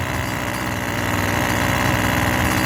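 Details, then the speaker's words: Two-stroke yard tool bought at a yard sale, started on half choke then run with choke off to warm up: small two-stroke buzzes at a steady, even idle with a quick regular beat, no misses or surging; needed no carburetor adjustment. "You just give it a little bit of time to warm up and then see what happens. Wow, I don't even have to adjust that."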